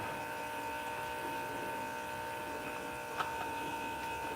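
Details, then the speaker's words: Truck oil change, key cycled to fill the fuel filter: steady electric lift pump hum with a thin high whine as it returns air to the tank. Normal priming. "Now if you can hear it, it's returning air to the tank. I can hear it. Okay, we'll cycle that a couple of times."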